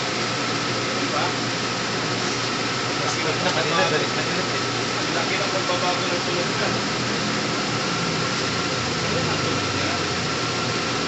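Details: Toyota GLI 4A-FE petrol engine with hard starting, noisy running, idle too high cold and dropping when hot, stalling on shifting to R/D: after setting the sub gear tension, steady even idle hum, no knocking.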